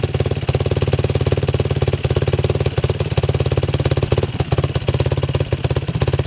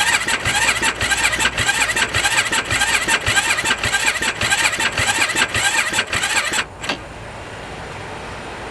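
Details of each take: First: 2007 Yamaha YFZ 450 single-cylinder quad, after repair with sheet metal clamped fix and fan bypassed to a switch: strong, even thumping at steady idle, no misses or rattles; healthy, officially fixed, runs strong. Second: 2007 Yamaha YFZ 450 single-cylinder quad as bought, air filter torn and disconnected, battery on charger: starter churns in steady pulses under two a second for about six seconds, no firing; crank no start, cause not confirmed, solenoid to be diagnosed next.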